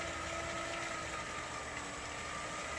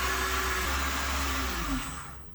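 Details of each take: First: Headhunter X-caliber 12/24 V DC variable-speed boat water pump, repaired with donor-pump parts, bench test against city-main pressure: smooth, steady high-pitched whir, no rattle or surging; pump running quiet and pumping, healthy. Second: Repaired Headhunter X-caliber 12/24 V DC pump installed on the boat, about 400 W setting, tap open: steady whir with a rough uneven low rumble as air passes, then winds down to standby; noise from air in the lines.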